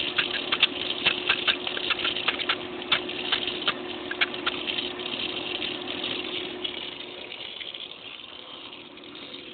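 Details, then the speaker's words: Pool filter pump restarted after changing the filter: a steady hum under an irregular crackle of ticks and rattles that fades over a few seconds. A little air was in the pump causing the noise; it then sounds okay. "looks like there was a little bit of air in the pump that's what that noise was sounds like it's doing okay"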